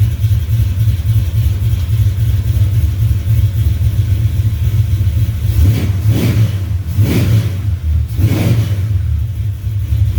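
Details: 1970 Duster 340 V8, started a little cold after new pushrods and intake gaskets replaced short pushrods that had caused ticking or knocking. Deep steady idle with an even lope and a couple of throttle blips; no tick or knock, normal idle.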